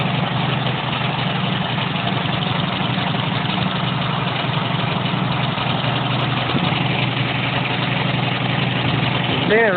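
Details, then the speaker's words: Homemade off-road go-kart built from junk parts, small single-cylinder engine idling with a loose, uneven metallic chatter on top; some metal part on the frame rattling freely, source not confirmed. "It really likes to rattle. You can hear it. That is so annoying."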